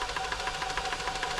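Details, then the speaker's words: New Home 641 sewing machine, seized from dried oil, being oiled and run: uneven clacking about six times a second as it catches on tight spots at slow speed; still partly seized. "and you got a machine that's a little bit seized it's hard to go"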